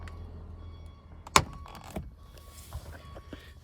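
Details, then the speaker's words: BMW F46 Gran Tourer 218i, rear left door: latch click then short dry creaks as the door opens, from dry hinges; spraying lubricant into the hinge points made the creak much quieter. "Ещё, короче, какой-то отвратительный звук при открывании задней левой двери."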